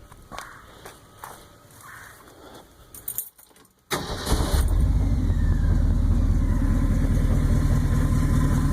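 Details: 1966 Ford F100 V8, engine rebuilt about 3,000 miles earlier, idling: quick steady tick about four a second resembling lifter tick, actually an exhaust leak under the exhaust manifold, felt puffing; truck also starting hard.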